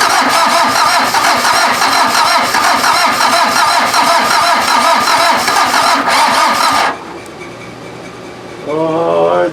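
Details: VW diesel (Mazda offroad build) cranked from a battery charger setup: starter churns evenly about three turns a second for seven seconds, never catches, stops short; owner thinks it needs more cranking rpm and a proper battery.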